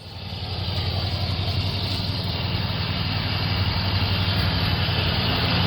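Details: Hustler Raptor zero-turn mower (2017, five seasons' use) running after jumping the solenoid to start it: steady low rumble settling into an even run, building slightly then holding; running normally.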